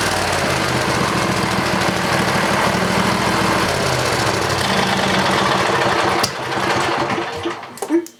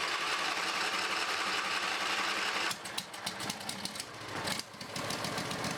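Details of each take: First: Briggs and Stratton 20HP V-twin Model 40 after carburetor cleaning and reassembly: steady, even run with smooth firing beat and no misses, then clean shutdown; pretty good running engine, normal running. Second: Briggs and Stratton 20HP V-twin Model 40, sat 3–4 years: steady engine note breaks into uneven, stumbling firing with gaps; running a little on its own, rough running, carburetor needs cleaning.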